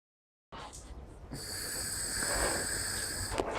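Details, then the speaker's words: PCV ejector pump on an Audi A6 C5 2.4 gasoline, tested in place by blowing through a hose from the brake booster side: steady airy hiss as air passes freely through the small port, no flutter or blockage. "From the brake booster side, where the valves are, it should blow in both directions. I put on the hose. You can hear the air flowing."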